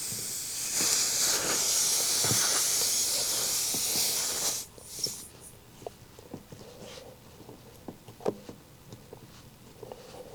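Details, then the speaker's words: Tire with the nail just pulled out of the tread: a loud steady hiss for about four seconds cuts to quiet as a sealant-coated repair screw is driven in and the leak stops; tire puncture air leak. "Oh yeah, that is leaking. Can hear it just leaking out."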